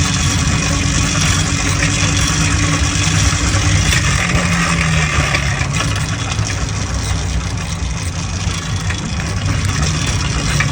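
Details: Restored motorized bike/moped two-stroke after clutch rebuild and new spark plug; buzzes steadily throughout with a busy, even crackle, no misses or stalls, normal running.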